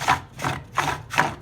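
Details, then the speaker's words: Vauxhall Astra Twintop heater blower fan, speed control resistor previously replaced: with cover removed the fan has dropped and rubs the inner casing, rhythmic gritty scraping swish about 2.5 times a second; at high speed sounded like a motorbike. "but i'm now able to actually demonstrate the noise it was making earlier because with that cover removed the whole fan has dropped so it's rubbing against the inner casing"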